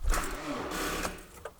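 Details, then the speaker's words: Toyota Camry no-start with warning messages on the dash, engine moving only a little on the key: short burst of quick whirring clicks and the engine never catches; cause not yet clear. "And now there is issue that when I try to start this my car, firstly we can see those warning messages, and now when I start, it happens in that way, that it moves only a little bit."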